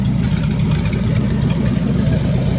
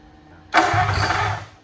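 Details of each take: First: 1927 Roadster Flathead V8, first start-up, oil with added additive: deep, steady, even low-speed burble with no knocks or misses; idles smoothly with good oil pressure. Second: 1927 Roadster with Flathead V8 at first start: a sharp pop, then a second or so of ragged firing that dies during cranking. Ignition feed drops out, so it pops but won't start; plan is to jumper ignition to battery.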